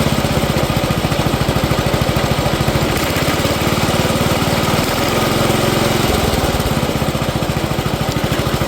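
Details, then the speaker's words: 1970 Allis Chalmers B-208 (Simplicity-built) tractor running after 15 years unused, fresh gas and a battery put in: steady even single-cylinder thumping with no misses or stumbles; runs well. "well I got to say this was a success getting this little Alice Chalmer b28 up and running again after 15 years"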